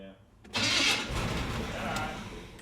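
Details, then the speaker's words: 1979 GMC Sierra, abandoned 25 years, after swapping in a replacement starter to cure a grinding noise: short, even cranking whir with no grinding or clash; starter grinding problem fixed; normal cranking. "That just needed another starter. >> I don't see nothing wrong with the one I took off. Junk junk. So, the starter grinding problem is now fixed."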